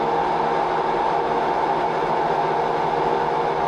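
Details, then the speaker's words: Front load washer during spin: loud, steady jet-like rushing roar with no rhythm, caused by worn outer tub bearings; fixed by replacing the bearings. "Does your front load washer sound like this while it's spinning?"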